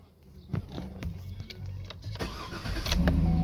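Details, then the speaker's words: 2008 Cadillac Escalade V8 no-crank fix: signal wire from the BCM temporarily grounded with a test-light clip, then brief starter clicks and cranking before it catches and settles into a steady low idle; no-crank cured. "guess what now we have ground you can do that all day"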